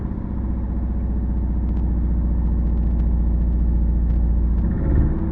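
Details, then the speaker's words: 1985 Toyota MR2 with a suspected cylinder misfire: a high, lumpy idle, then a sputtering, sneezing stumble on first throttle and sluggish acceleration, smoothing out toward higher RPM. "you can hear when I just first hit the throttle it kind of sounds like it's uh kind of sputtering sneezing I don't know kind of thing and that kind of Smooths out a little bit toward higher RPM um"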